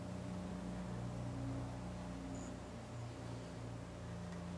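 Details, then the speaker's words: Homemade water-cooled Briggs & Stratton engine build, spinner test, unoiled. Steady thin screaming whine over a low hum; a spinning part is rubbing, likely out of true and wobbling. "feels like we're cutting something you hear it oh might you want something here listen to it listen to it screaming"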